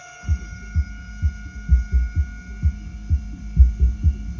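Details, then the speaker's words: Taramps MD12000.1 0.5-ohm car amplifier under repair after a failed resistor was replaced and burnt diodes were found, powered into a subwoofer: steady mains-type hum with a low thump about twice a second; another fault remains. "on voit qu'il y a un peu de son je sais pas si vous l'entendez mais on voit qu'il y a un autre problème"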